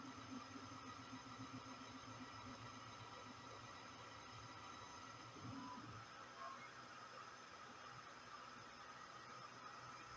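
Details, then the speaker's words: VEVOR 5.5 W CNC laser engraver just switched on and connected to LaserGRBL software: even steady blowing hiss of its cooling fan, no rattle or surging; normal fan running. "donc voilà là le bruit que vous entendez c'est bien le ventilateur voilà je disais la soufflerie c'est bien le ventilateur qu'on entend"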